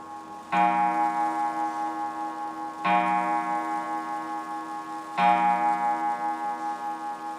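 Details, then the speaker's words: German wall clock, restored free Marketplace find with new pendulum-arm spring, after reassembly: three clean ringing gong strikes about 2.5 s apart, each decaying evenly; striking train works properly. "7. [music] Sounds like 10:00."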